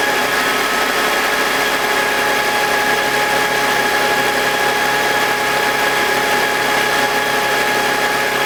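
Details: BMW E46 M52TU B25 just after startup: steady high whine over a gritty grinding hiss, worst at startup; suspected VANOS, since it goes away with VANOS disconnected; unconfirmed.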